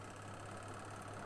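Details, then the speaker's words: Washing machine spin dryer that suddenly would not spin, after home repair: smooth even motor hum with steady low drone, no knocks or scraping; spinner turning normally, fixed. "Oke ini berputar ya teman-teman ya nih cucinya berputar"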